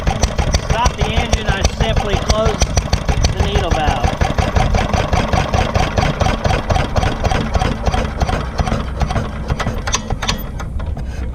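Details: Granddad's 1946 International Harvester LB hit-and-miss engine, restored, started cold, at full speed about 1,000 RPM as specified: sharp, even firing pops about three per second, steady spacing, no knocks; normal hit-and-miss running.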